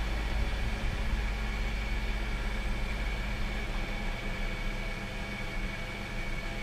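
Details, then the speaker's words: BMW E46 cold start after replacing the power steering pump, suction and return hoses and reservoir, with the wheel turned lock to lock; smooth low hum, pump audibly engaging, no whine or groan, and fluid circulating. Normal power steering pump operation. "actually hear the pump engaging"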